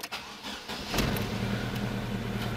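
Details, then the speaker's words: Fiat Palio engine, fault first appearing when cold, now constant, no check-engine light: cranks, catches and settles into slightly lumpy uneven idle like a dead cylinder; misfire, no loose wires or spark found yet. "bien pero con falla como un cilindro muerto Pues aquí se se percibe"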